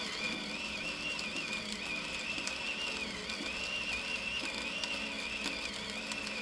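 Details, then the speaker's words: Femobook A2 coffee grinder grinding light-roast beans at Turkish/espresso fineness: grinding chatter with a whining motor sagging from about 60 to 40-50 rpm on tough beans, but never stalling. "so you can hear that it is slowing down the RPM it runs it 60 normally so it's dropping I don't know 50 40 some of that range as it hits the more difficult beans to grind but it's pushing through no stalls"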